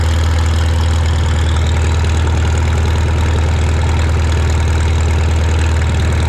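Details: Shop tractor, either the John Deere 4020 or the Farmall Super M, just started with choke and throttle levers and driven outside. It gives a deep, steady thump at about 200 beats a minute, heavy and even without misses. Normal idle.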